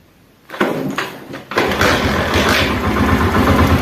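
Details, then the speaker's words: China 70 motorcycle just after fitting a two-point ignition coil: the starter churns briefly, then the engine catches without throttle and settles into an even, steady idle, starting cleanly. "ये देखिए बगैर रेस की bike start हो गई है।"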